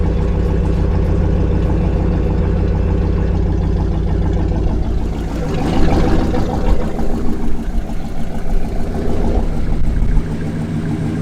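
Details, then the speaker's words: 1968 Lincoln Continental V8 idling after 10–15 minutes: deep loud idle with light quick ticking keeping pace with engine speed, likely lifters/valve train. "husband idle in like 10 15 minutes it something kind of still tickin but they could just because the lifters are allowed to begin with"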